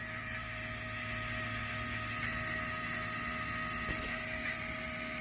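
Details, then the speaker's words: OBS Ford 7.3 diesel electric fuel system after rerouting the pump wiring: steady high even whine, pump cold to the touch; noise suggests a problem before the pump, not yet confirmed. "pump's cold to the touch but when it's making noise like that that typically means that you've got an issue pre pump that's going to be the next thing I'm going to look at for this customer but that's for another video"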